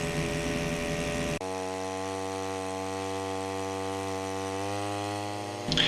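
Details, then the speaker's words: Wick 100G portable fire pump, engine warmed at idle then throttled up so the clutch engages: sudden steady high buzzing engine note that holds even with slight lift; normal high-speed run while pumping water into hose line. "after a warm-up period increase the engine speed at which point the clutch will engage and start pumping"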